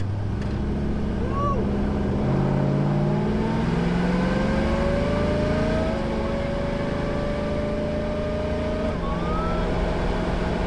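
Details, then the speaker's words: Morrvair V8 with 250,000 miles, after new spark plugs, full-throttle 0-to-60 attempt from launch; steady rising drone with no stumbles or misses; running smoother though not dramatically faster. "Okay, well, seat of the pants is, it's good. I'm not blown away, but it is running smoother."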